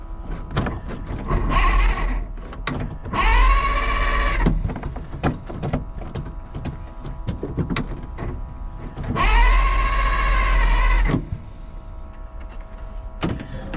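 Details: 1948 Pontiac, first start with hastily fitted fuel system and wiring, fuel pump heard running, in neutral, may need choke: three whirring starter cranking bursts, engine turns over but won't fire.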